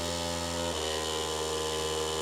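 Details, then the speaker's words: Newly custom water-cooled PC filling its loop, pump on a Molex plug; a loud steady droning hum that shifts pitch slightly as flow settles; vibration first blamed on the motherboard, later found to be loose fans and the pump base plate. "Wow, this thing is loud. A lot of the vibration is like coming from our motherboard."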